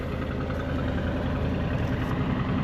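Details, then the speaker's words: 1985 Allegro RV, 454 big-block GM V8 with Quadrajet carburetor, just after a starter swap: steady slightly fast burble with no dip or hunt; idles high most of the time, choke probably partly on. "got to go through this quadr jet on this thing it idles a little high it the chok's probably kicked on a little bit but it idles High most of the time"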